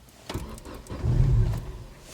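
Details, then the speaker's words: Car with recurring fault where the fuel pump intermittently fails to pump, reason unclear: engine catches with a brief low rumble swelling for half a second, then dies; fuel pump suspected, not confirmed. "бензонасос не качає чому не зрозуміло раптом Опа і все поїхали"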